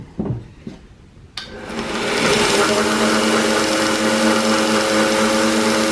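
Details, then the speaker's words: New Harbor Freight 1x30 inch belt sander, first run out of the box: a click, then spin-up to a steady high whir with a faint buzzy roughness; some vibration, owner considers greasing the bearings, wheels possibly not true. "on it has some vibration to it what I may do is pull this thing apart and maybe greas some of the bearings to make sure they're okay"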